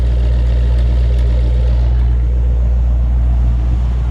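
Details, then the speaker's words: 1954 Ford F100 with Ford 302 V8 and C4 automatic, good oil pressure, on a drive: deep, steady burble, no ticks, misses or exhaust leaks, a small chirp from something rubbing; clean, healthy running. "this thing's got a uh nice strong clean running 302 which is really nice to find a Ford truck with a Ford engine in it Ford transmission [Music] nice sounding engine clean and healthy"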